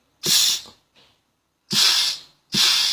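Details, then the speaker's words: Automatic transmission clutch pack being air-tested through the valve-body feed holes during a rebuild: three short sharp air blasts, each stopping cleanly with no lingering hiss; pack holds air, no leak. "อันนี้ใช้ได้อนี้ใช้ได้นี้องเสียงอยู่ข้างในมันจะมองไม่เห็นให้ฟังเสียงเอางงี้ใช้ได้ไม่รั่วถ้ารั่วมันจะฟูดๆไปเลย"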